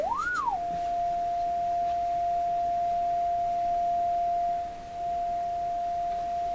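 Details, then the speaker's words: Canadian General Electric KL-96 radio, signal-generator test tone fed into the audio stage: after a quick sweep, a clean, steady single-pitch whistle with no hum or crackle, showing the audio works from the phono input onward. "So that's the audio portion of the radio is definitely working just fine from the phono onward, just to convince you here."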